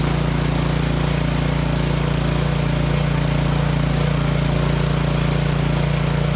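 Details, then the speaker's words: Troy-Bilt 24-inch snowblower after tune-up (new spark plug, oil change, timing checked, clean carburetor): steady single-cylinder beat about three firings a second with a smooth low hum, good low and high idle. Normal running. "sounds good Run's good and purs like a kitten good low idle good high idle"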